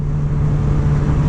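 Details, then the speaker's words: Reference bike ridden before the 2021 ZX-10R, 30 mph in third gear; smooth even low drone at one steady pitch with no knocks or misses, normal steady cruise. "this is 30 miles an hour in third gear this seems pretty normal to me it's pretty smooth the motor sounds very consistent"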